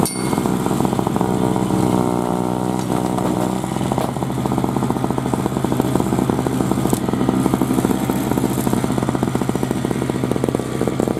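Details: 2003 Murray single-stage two-stroke snowblower, unrun 5 years and formerly leaking gas, cutting a path through snow: steady unbroken buzzy beat with no stumbling or surging. Healthy running under load.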